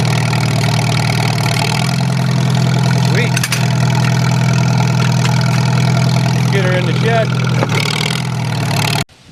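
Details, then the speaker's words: Old tractor, owner suspects fuel leaked out and tank nearly empty: low lumpy idle runs steadily about nine seconds then cuts out abruptly; engine stalling. "And of course, the tractor died right here, just shy of the shed. I think all my gas leaked out."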